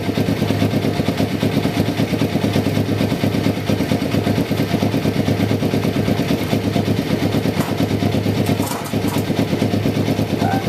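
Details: 1993 Kawasaki Vulcan EN500 bobber project, start after removing the reed/air suction valve and installing and synchronizing the carburetors; fuel-air mixture not yet tuned. Deep, steady twin-cylinder thump with even pulses and a brief blip near the end, smooth and balanced.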